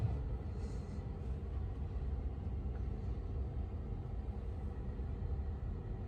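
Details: 2022 Tesla Model 3 rear-wheel drive with heat pump, very warm day, defrost on, heard from outside: only a low, steady hum and soft whoosh with no rattles or squeals; quiet, healthy heat pump running normally.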